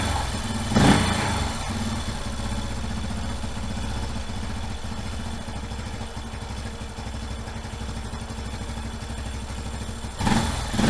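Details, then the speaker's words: 1989 Yamaha Moto 4 YFM350ERW single, just started after a head repair with new piston and head, choke off, being run through break-in cycles; steady idle thumping with brief rev blips, smooth and even; normal healthy idle. "I ran it through a couple cycles so just letting it idle. I revved it up a little, cut it off, let it cool down."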